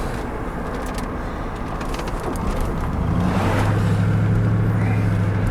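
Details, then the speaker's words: Chevrolet Tahoe on a test drive after transmission replacement, shifting properly again: smooth low engine drone under road and tyre noise, rising gently as it pulls, with no whine or clunk from the driveline; normal driving, much quieter now. "and yeah, this thing's a lot quieter now."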